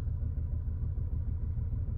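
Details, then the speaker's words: 2010 VW Passat at idle, flashing check engine light: deep uneven lumpy idle with dropouts; cylinder 3 misfiring, cylinder 1 too after swapping coil packs 2 and 3; multiple misfires, compression and plugs next. "well now that we have multiple misfires come on zoom in now that we have multiple misfires I'm going to pull out and check compression and check the plugs"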